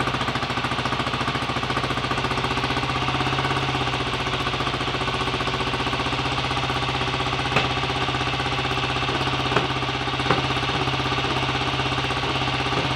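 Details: BSA A65 Lightning twin, first start after a full rebuild with a replacement crank, fixing 1.5 mm crank end float and timing-side bush play; oil primed, carbs roughly set: even, steady idle, light clicks, no knocks; normal idle.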